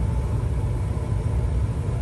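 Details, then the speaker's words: Furnace blower running after a humidifier pad replacement to fix a water leak, with the humidifier set to highest. Steady, even low hum with no knocks, scrapes or surges; the motor runs after a 5–8 second delay and opens the water flow. "now it's running now when this motor is running it will open the water you will hear that water and i hope there's no more leak in here"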